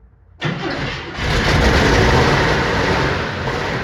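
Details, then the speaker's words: 1959 Chevy Impala 348 V8 starting for cam break-in, not yet timed and carbs not adjusted: loud raspy idle with a puffing edge from a badly leaking passenger-side exhaust manifold donut gasket; owner plans to tighten it. "When it made that first noise and it first stopped running, that noise was coming from this exhaust. This exhaust manifold over here is leaking really bad. It's the donut gasket underneath."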